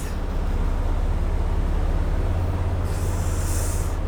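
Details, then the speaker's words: 2025 Ram Cummins diesel, cab pulled, first start after the fuel system was opened (new high-pressure CP8 pump): a deep, even rumble with a short air hiss; check engine light on but a smooth, normal idle. "Check engine lights on, but sounds good."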